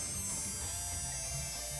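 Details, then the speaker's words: Tamiya Mini 4WD motor (dinamo) being broken in on battery for about half an hour with sewing-machine oil on the brushes: even high-pitched buzz without wobble, scrape or rattle; motor now runs smoothly. "oke suaranya juga sudah sangat halus"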